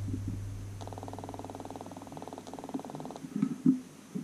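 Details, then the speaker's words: Cycliq Fly6 Gen 2 bike camera, 10 months old and defective: at power-on, about two seconds of fast, faint static clicking and no startup beep; afterwards the app connects, showing battery 99. "and uh again we didn't hear the beep we just heard that clicking staticky clicking noise"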